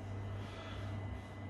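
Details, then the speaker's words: Worcester Greenstar 30SI Compact boiler after condensate trap removed and refitted, running on hot water and heating: soft, steady low hum with a faint high tone, no gurgling or banging; now quieter, firing evenly. "so i've been running the boiler for a bit in hot water and heating and it seems a lot quieter now"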